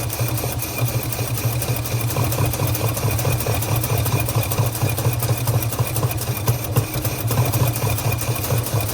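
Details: 1948 Studebaker Champion flathead six, first start after long abandonment: stumbling uneven idle with missing pulses, at least one dead cylinder, puffing out of the carburetor; intake valve suspected, not confirmed.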